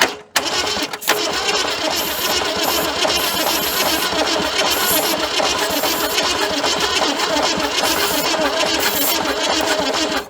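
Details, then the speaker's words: 1978 Ford Fairmont station wagon sitting 35 years, spark present, carb cleaner down the intake, distributor timing uncertain: ten seconds of steady cranking with uneven chuffing and puff-back, no catch; owner suspects an intake valve not closing fully. "no sir it ain't even trying there's a little bit of puff back so we got a a intake valve that ain't closing all the way"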